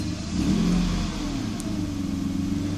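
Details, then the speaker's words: 1995 Mercedes S600 with E-gas throttle actuator module, ASR light on, throttles click once but motors don't turn: pedal floored gives extremely sluggish pickup and unsteady wandering rpm; faulty E-gas throttle control. "give it gas sluggish pick up and i'm pressing it on the through the floor gas pedal there as you see it is extremely sluggish rpms are not steady"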